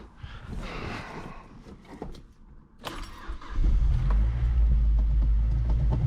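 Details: 2008 Mazdaspeed 3 at first start after replacing the high-pressure fuel pump internals: some handling noise, then the engine catches and settles into a deep, even idle with a steady beat; it sounds healthy.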